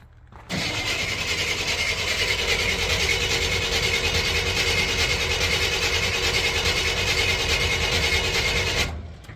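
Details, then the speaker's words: 1987 Chevy K20, 350 small block, sitting for years, fresh premium fuel added to an empty tank: runs about eight seconds with a ragged uneven idle needing throttle, then cuts out; spark timing suspected; rough idle. "little bit of a rough idle got the keep his foot on the gas she don't want to idle still don't want to"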